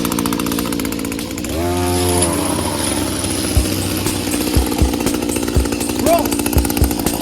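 High, steady two-stroke buzz holding even speed, with brush head clattering on stone; trimmer runs cleanly and keeps running.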